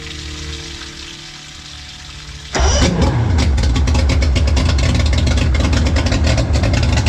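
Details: Mercury 3L outboard, carb-to-EFI conversion, first start after the work was checked by a mechanic: catches at once, then a fast, even, crisp beat, revving cleanly. Normal start and revving.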